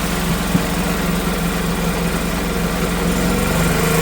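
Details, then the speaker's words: Old Honda generator stored 20 years (barn find), air filter missing, carb issue suspected: runs with choke on and throttle held, a steady, even low chug under a drill load, smoothing as choke is backed off. "She's running with the choke on, so that is phenomenal."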